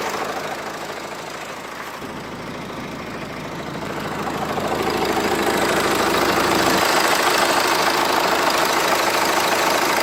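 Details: Renault Laguna 2 phase 2 engine, hot, at idle: sharp even tapping about three times a second from inside the engine, appearing only when hot at idle and disappearing as revs rise; engine knock needing diagnosis.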